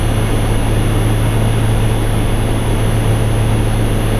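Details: Infinity variable-speed A/C condensing unit in the yard, paired with a variable-speed furnace, running at stage 5 (highest capacity): steady, even low hum and constant fan rush, no rattles, squeals or cycling; normal full-speed operation.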